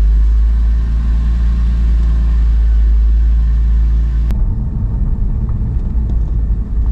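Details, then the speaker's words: 2002 Porsche 911 C4, 122,4xx miles, slow test drive over rough street after replacing front control arms (tuning fork and coffin arms): low road rumble, longtime slow-speed front clunk no longer heard, definitely improved. "so so far so good i don't hear it it's definitely improved"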